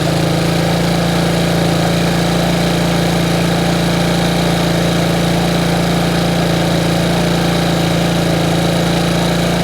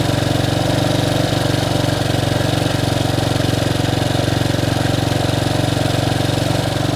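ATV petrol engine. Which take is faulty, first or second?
first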